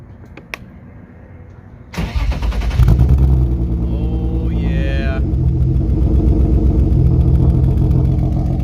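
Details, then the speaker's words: BMW E36 start after fixing exhaust leaks: starter whirs about two seconds, catches cleanly and settles to an even idle with no exhaust ticking; muffler still suspected blown. "She sounds mint. Perfect."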